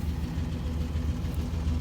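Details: 1996 GMC derby truck started after sitting, not run since 2016; low smooth even rumble at idle with no ticks or knocks and quiet exhaust; healthy idle.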